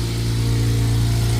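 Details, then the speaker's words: 2006 Honda Civic Si K20Z3 running cold with headers only, before a supercharger install; deep, slightly puffing exhaust note from a big leak underneath at the header joint, which may need welding. "Oh, we got a fat ass exhaust leak. Fat ass exhaust leak. Fat ass exhaust leak. It's all from underneath."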